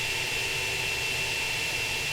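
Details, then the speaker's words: Household plumbing: a steady high-pitched squeal over loud running water from a faucet or toilet fixture. A squealing fixture is suspected, fixable by replacing its parts; not confirmed. "typically that is caused by a certain fixture or faucet you may turn on your faucet and hear a little squealing sound or you may flush your toilet and hear another you know type of screeching sound"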